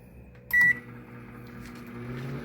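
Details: Panasonic NN-ST352WRUN microwave, found discarded, with burning smell and strange noise, fuse tested good: one panel beep, then a steady mains hum as the transformer energises; high voltage present, works normally, magnetron still to test.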